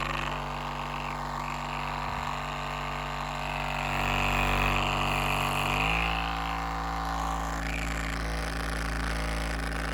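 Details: RecoverFun Mini suddenly rattling: engine running steadily with a light regular rattle about four times a second over the hum; cause unclear.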